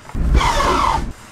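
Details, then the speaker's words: Manual gearbox forced into reverse from 4th/neutral while moving (~100 km/h): harsh one-second rasping grind then two short scrapes as straight-cut reverse gear grinds against spinning gears. "These gears are grinding against eachother that's the noise you'll hear"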